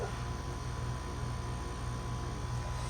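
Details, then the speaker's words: 2007 Carrier 4-ton scroll air conditioner on Puron, with a GE fan motor and sound blanket, running normally: quiet, steady low hum with even fan rush and no knocks; suction line cold and sweaty. "It's got a sound blanket. That's why it sounds very quiet. Just to love that scroll sound."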